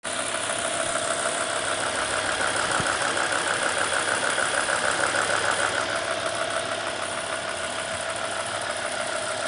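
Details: BMW E60 M5 petrol V10 at idle: fast, even ticking about three a second from the VANOS area, under the front plastic covers nearest the bumper, louder on the passenger bank; usual injector tick excluded. Cause unknown.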